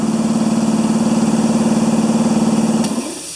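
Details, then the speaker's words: Compressor that sat 8 years, after reassembling a valve spring: pump chugs about four beats a second, then stops and a steady hiss remains as air leaks back past the unsealed check valve; pressure on both sides, leakage. "and we're getting leakage so if there's pressure in here there's also pressure in here"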